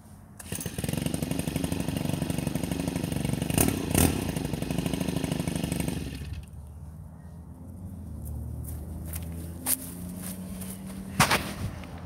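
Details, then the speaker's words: Stihl FS 90 R straight-shaft trimmer with a 4-MIX four-stroke engine that runs on two-stroke mix, warm, at idle: a steady, even light putter with no misses or rattles; healthy idle. "that's what it sounds like it's a formix engine it takes two strokes for lubrication on the engine"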